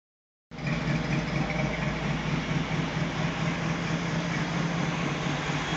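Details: Rough, lumpy, stumbling LSX V8 in a 1974 Chevrolet C10 running on only four cylinders; the cause turned out to be a loose ground wire for the coils.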